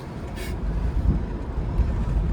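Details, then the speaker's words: 1989 Cadillac Allante ($500 non-runner) on a road test after injector replacement: steady low rumble while driving through second and third gear, no misses, stumbles or surging; brakes good, engine pulls evenly, running okay. "Brakes are good. Seems like it's running okay, Mitch."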